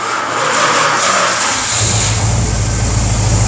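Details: 1967 Dodge A-100 V8 at its first start after the motor was reinstalled, running through a new handmade 3-inch side-pipe exhaust: it catches and settles into a deep, even, aggressive rumble with a throttle blip, running cleanly.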